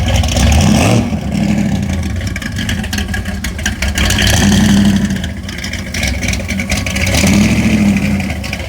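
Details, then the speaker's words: 1968 Ford Thunderbird with 521-cubic-inch big block, MSD 6AL ignition just wired, carb set, still needs tuning, fresh exhaust paint: deep lumpy rumble swells sharply on quick throttle stabs and settles back; rowdy, healthy V8. "we still need to really tune this thing but boy she's rowdy she sounds good you just i just stab the throttle just a little bit and it just spins"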